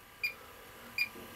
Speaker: that intermittent steady um sound you can hear it's um the noise is constant and the uh and the green light there's this one LED